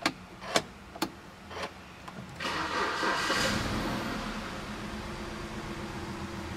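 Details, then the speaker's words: BMW 320i, 2.0 16-valve engine, with injection light on and heavy exhaust smoke: cranks about two seconds, catches and settles into a lumpy, oscillating idle, misfiring badly. "Eu já vi ele tá falhando bastante luz de injeção acesa uma vela porta eh E aí Oi Thalia falhando bastante motor oscilando"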